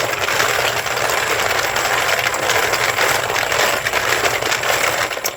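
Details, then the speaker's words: Homemade belt-driven double-drum brass tumbler, geared down, shafts on bearings with rubber heater-hose rollers, one drum holding about 300 pieces of 300 Win Mag brass; constant loud rattling hiss, steady with no knocks; running normally. "I know that's kind of loud but uh this particular drum has about 300 pieces of 300 wind mag in it"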